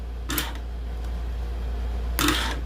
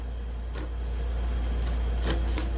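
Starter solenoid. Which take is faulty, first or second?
second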